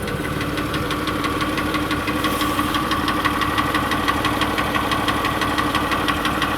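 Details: Engine with new hydraulic lifters and connecting rod bearings, idling after 4–5 minutes with Lucas heavy-duty oil stabilizer, heard from underneath: steady ticking knock about twice a second; mechanical knock not fixed, cause not yet found.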